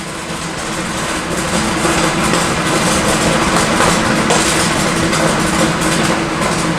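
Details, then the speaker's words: Robopop 75 Vortex continuous popcorn machine at the end of a batch: steady fan rush with scattered soft pops thinning out as airflow ramps up to purge unpopped scrap before the next seed feed; normal end of the popping cycle. "that's about the end of the cycle. Or I should say the end of the popping cycle. And now as you hear the airflow ramp up, that's the purge."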